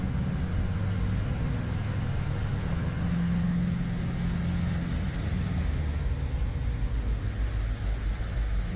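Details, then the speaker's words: Subaru Crosstrek swapped from FB20 to FB25, on the dyno during cam-timing tuning with exhaust cams set at 10: deep, steady drone under load with no misses or knocks; sounds much better after tuning, 133 hp, 147 lb-ft peak. "oh yeah that sounds so much better definitely took some doing"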